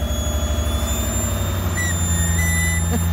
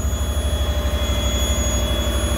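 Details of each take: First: Lexus IS200 with swapped 1UZ-FE V8, after fitting Audi R8 ignition coils and a larger aftermarket throttle body, in about -20° cold: thin steady whistle over a lumpy idle; small intake air leak. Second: Lexus IS200 with swapped Toyota 1UZ-FE V8, after fitting Audi R8 ignition coils and a larger aftermarket throttle body, in about -20 °C: deep, even burble with steady pulses, running smoothly with no misses; normal idle.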